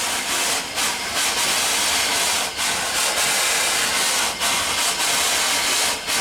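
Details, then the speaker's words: Steam pump on a homemade feedwater tank and heat-exchanger setup, pumping water into the system under pressure. Slow, uneven hissing strokes at about 33 a minute, sounding weak and labouring. The owner says it pumps slow because it is under pressure and runs less efficiently than it should. "As you can see, it's pumping slow because it's under pressure."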